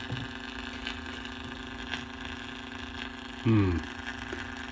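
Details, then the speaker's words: 1949 Packard Bell AA5 Model 100A radio at 120 V on a variac: steady low mains hum, slight crackle, no station audio; open signal path from an IF coil lead accidentally cut while testing resistors, to be resoldered. "Found my problem. When I was testing resistors, I failed focus. I cut the lead on that one down in there."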